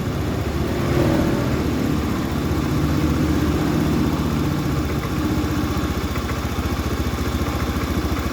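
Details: Honda Scoopy FI after fixing its high idle and adjusting the idle air screw by feel toward about 1500 rpm: steady, even putter at a fast idle with no hunting or surging; idling normally.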